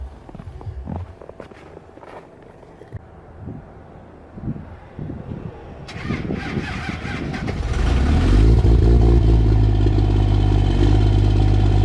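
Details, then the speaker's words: Cummins diesel truck cold-started at -5 with grid heaters plugged in; brief crank, catches quickly, settles into steady even low rumble; normal cold start. "Started up pretty easy there. I don't think I really need to test starting with the grid heaters anymore, because it started fine even at like -10, -16,"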